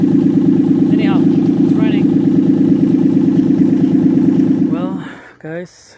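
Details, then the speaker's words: Mitsubishi Delica V6 at cold idle on first start after rebuild, residual coolant burning off: loud raw rumble with slightly uneven beats. Owner suspects a misfire, maybe rich but doubts it, and expects it to clear when warm. "running running okay there is like a misfire maybe it's running rich i don't know i don't think so but see that it's like a misfire there"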